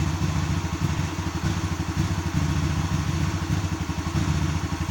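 Uneven, lumpy idle with a loose clattery beat and the tone wavering instead of settling; rough running, no clear cause.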